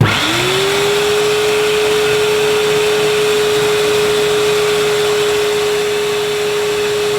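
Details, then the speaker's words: 1990s UK-made Hoover U2090 Turbopower 2 upright vacuum, 650–700 W (max 800–900 W), agitator tested by hand: motor winds up to a steady whine, sags slightly under load; normal, healthy running, belt still to be replaced. "[Applause] actually that's not bad at all really pretty good so possibly it needs to be on a higher setting"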